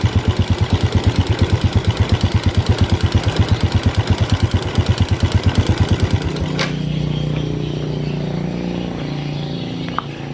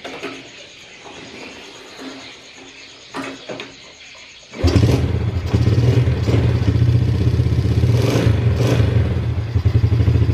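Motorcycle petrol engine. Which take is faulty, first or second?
first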